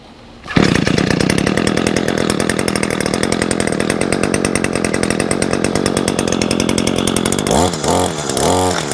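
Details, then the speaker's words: New Echo SRM225 two-stroke string trimmer, first start with prime and choke in about 100°F heat after three pulls: settles into steady crisp high-rev buzz, no misses or surging; normal running. "It does have that Echo, that signature sound. Comes with a speed feed head."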